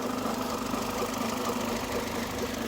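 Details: 2002 Mercedes A-Class warming up at idle before an additive is added. Steady idle with a light, rapid knock underneath the engine note, consistent with a worn crankshaft bearing; a mechanic ruled out the suspected pulley.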